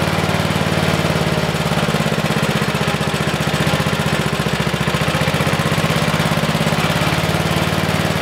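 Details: 1973 Simplicity 738 riding mower, unused about two years, started first try with a new battery and the choke on, before its tune-up. The single-cylinder engine runs at a steady, even beat with no misses or knocks. Normal running.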